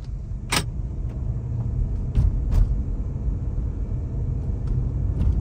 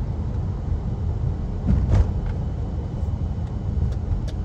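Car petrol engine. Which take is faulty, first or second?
first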